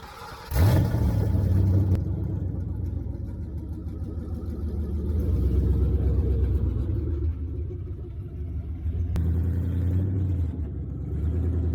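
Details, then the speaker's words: 1966 Ford Mustang with swapped 4.6L modular V8, driven on its maiden voyage with no exhaust fitted, downpipes dumping just before the transmission crossmember: a deep, raw, unmuffled rumble swelling and easing with throttle, far too loud to drive legally. "the exhaust is extremely loud i cannot drive this legally with the exhaust like this it turns heads in the wrong way"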